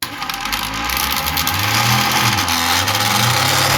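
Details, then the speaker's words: Homemade water jet pump with a 3D-printed aluminium impeller, ESC-driven motor on a 5.8 V tester: shrill whine wavering over a scraping, rattling wobble about four times a second; a part was left out, so the shaft drops and rubs on the plastic. "That's why it sounds sounded so terrible. What happens basically is that it falls down a little bit and starts going around on the plastic instead."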